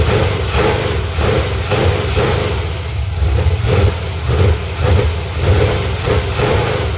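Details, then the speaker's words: 1985 Chevy C10 350 V8 with a traded used Quick Fuel SS 680 cfm vacuum-secondary carb, unadjusted, no choke or return spring: blips up crisper than the old Holley 750 but beat stays lumpy; rough running, owner suspects dirt in the carb. "as bad as it's acting up i gotta say it does take the gas a lot better than that 750 did it's a lot more crisp now it is definitely got some trash in it still"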